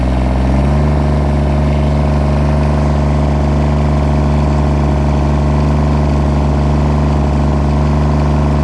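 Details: John Deere 332 at 64°F, run over an hour earlier that day and not fully warm. Steady low idle with an uneven stumbling beat that drops cylinders; misfire that is worse cold with smoke and improves as it warms.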